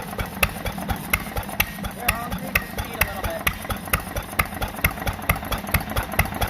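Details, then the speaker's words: 1940s Fairbanks Morse 3 hp engine (max 800 rpm), recently revived after probably about 30 years: sharp firing pops about twice a second, unevenly spaced as some strokes coast without firing. The hit-or-miss governor is cycling normally. "This engine has what's called a hit-or-miss governor."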